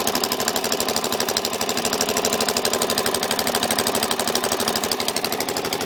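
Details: Suzuki DRZ400SM single idling with a loud, fast, sharp metallic clicking of about three per second that started after over-revving in 1st gear; seems to come from the carb/crankcase area and goes very quiet in 5th gear.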